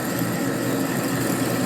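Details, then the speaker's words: Machining a part for a 1957 Harley panhead drag bike, feed set by a hand lever: a steady, even cutting drone with a smooth mid-pitch hum and no chatter or squeal; a good feed rate with good chip clearance and no overheating. "When it's cutting good, feed it in pretty good. When it starts protesting, slow down. So this is a good speed right here."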